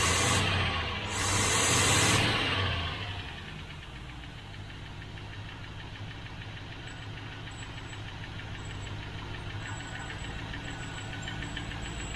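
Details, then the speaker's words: 1972 Range Rover (A-suffix) V8 idling cold on barely any choke just after start-up: light, fairly regular tick over the engine note, owner suspects a slow-to-prime hydraulic tappet that needs to bed in; settles down as it runs. "might just be that hydraulic tap it just needs to bed in"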